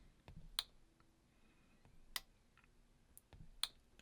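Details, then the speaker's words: Sonoff relay modified to control a garage door opener, plugged into an outlet and switched from the SmartThings app: three crisp clicks about 1.5 s apart in a quiet room, relay switching normally. "we go you should be able to hear that relay clicking on and off as I turn it on in these smart things app"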